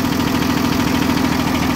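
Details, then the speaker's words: 2016 Cummins ISB 6.7L 220 hp diesel in a school bus, 74,067 miles and 3,796 hours, checked for blow-by: firm, evenly paced clatter at a steady idle with no skips or knocks; normal idle. "that's a good running engine low miles"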